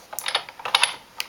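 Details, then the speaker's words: Stampin' Up Big Shot die-cutting machine with magnetic platform cutting framelits: sharp irregular clicks in quick clusters, about a dozen in under two seconds, no grinding; normal sound of it cutting. "hear that clicking noise? Don't worry about that. That is what I expect my Big Shot to do. When it makes that noise, I know it's cutting."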